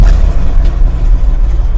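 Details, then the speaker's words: 1976 GMC C60 big-block V8 with replacement distributor and Edelbrock carburetor, idling in about 30°F weather after roughly half an hour: a deep, loping, steady rumble with no misses or knocks, running well. "been sitting here about a half hour. It's about 30 degrees out here, so runs pretty good."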